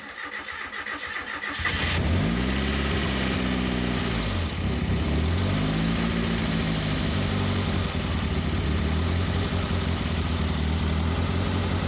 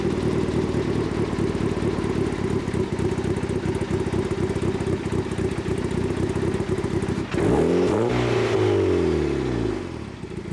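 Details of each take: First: Turbo Miata, first start after the ignition timing was set, with the wideband sensor not working: brief crank, catches with a rev flare, then settles into a steady idle that sits a little high; the idle is otherwise okay. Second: Turbo Miata on an e-tune at cold idle, with the idle now set up properly: even, steady firing pulses with no misses or stumbles, then a sweeping engine note; the AFR reading is good and the cold idle is smooth and healthy.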